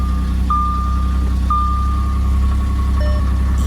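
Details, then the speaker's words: B8 Audi S4 cold-start idle the morning after cleaning the inlet/boost pressure sensors for code P012B: steady, even rumble with dashboard chimes, no needle jumping, smoothly settling to idle; rough cold idle fixed, no code after 100 miles. "yeah I think uh that fixed the issue there's no jumping or anything yep it smoothly came down to idle"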